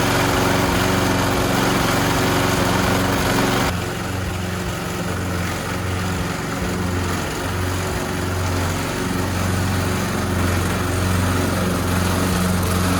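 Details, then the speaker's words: Old petrol lawnmower after cleaning the clogged carburetor jet, likely blocked by debris from a rotting fuel hose or the tank: a steady small-engine drone with an even beat that holds speed without stumbling. "So what has happened is probably likely it has sucked up some debris from the old rotting hose, the fuel hose, or maybe some debris in the bottom of the fuel tank, and then just moved it to the carburetor. So let's put it back on the lawnmower and see if this helps."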